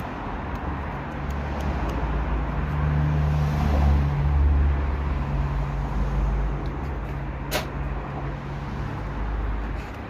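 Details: BMW B47 diesel in a 318d GT idling with a heavy deep rumble and a dull, loosely regular knock low in the engine: rod knock from a spun bearing and bottom-end failure.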